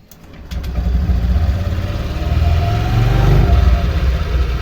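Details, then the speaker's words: Honda Vario 125 LED scooter after CVT repair for rough noise (bearing shimmed and greased): engine picks up and settles into a low, steady idle with no rattle or scraping from the belt drive; CVT noise gone, sounds different after repair. "Nah, beda nih suaranya."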